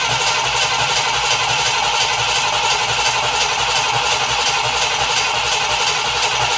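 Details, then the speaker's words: Cadillac Eldorado, cold, throttle held open: steady cranking at about 85 turns a minute with no firing; smells of gasoline, owner says rich fuel is fouling the plugs, flooded. "And she won't fire. And I smell gasoline. Yeah, lots of rich gas fouling the plugs."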